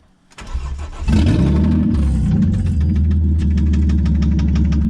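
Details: Ford XR6 Barra with manual transmission, in very bad condition, cranks and catches, then idles with a heavy, sharp knock about four times a second: rod knock.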